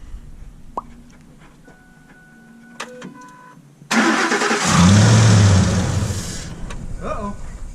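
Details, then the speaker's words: 2005 Ford F-150 right after a Spectre cold air intake install: it cranks and catches, surges loud, then sags and falters instead of settling. "What's that? Something ain't right. Well, that didn't sound good."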